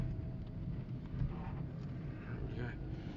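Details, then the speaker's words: 2005 VW Polo 1.2 petrol/LPG, low on LPG, driven slowly over rough ground: steady low road rumble with no knocking or banging from the suspension. "as you can hear there's no knocking or banging from the suspension"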